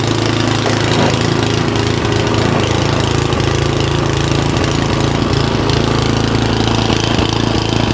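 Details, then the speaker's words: Simplicity SS922E single-stage snowblower just serviced, running outdoors about 50° colder than the 60° garage where it ran fine: rapid chugging idle with a slight rise and fall in speed; owner suspects the carburetor needs more cleaning. "now you can hear that this is surging a little bit but when I got done with the service in the garage where it was about 60° it ran fine but right now it's about 50° colder so uh I guess I got to clean that carburetor a little bit more"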